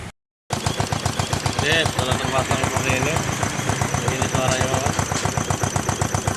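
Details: Yamaha Jupiter MX after fixing the loud tek-tek top-end tapping that persisted despite new rocker arms, with super racing exhaust: fast, even exhaust pulses, loud open-pipe bark, no ticking; valve train quiet and healthy.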